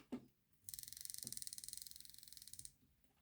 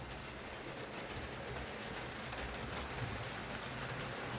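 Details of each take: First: Hornby R2857 Class 5MT model locomotive after reassembly: fast, even high-pitched ticking, about seventeen per second, while running; a pickup possibly hitting the wheel spokes suspected, needs adjusting. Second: Hornby R2857 Class 5MT (Black 5) model locomotive after repair of mangled wiring, pickups, drawbar and regreased gears, running on layout: soft even motor hum with light steady wheel rattle, no stalls or stutters; runs smooth and stable.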